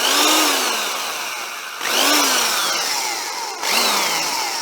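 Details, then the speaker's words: Vintage double-insulated Black & Decker electric drill after its cord checked okay: three short runs, each a clean motor whine spinning up then winding down smoothly. Passes and sounds better than expected; healthy. "let's see if it runs okay that sounds better than I"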